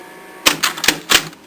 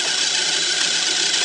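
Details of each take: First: Thirty-something-year-old tape changer in consecutive mode: a quick burst of four or five crisp mechanical clicks as it shuffles to the next tape, no grinding; rewind section screeches and needs greasing. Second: Auto-reversing tape player over 30 years old, rewind mechanism: harsh, high-pitched screech while rewinding, then a few clicks as it stops. The rewind drive is dry and needs greasing.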